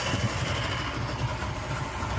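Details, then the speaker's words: Suzuki 150 outboard that hadn't run in a while, first start for a baseline check: low, even burbling idle with no knocks or misses; battery charging but no RPM reading on the gauge; normal idle. "All right, success. We got it fired up."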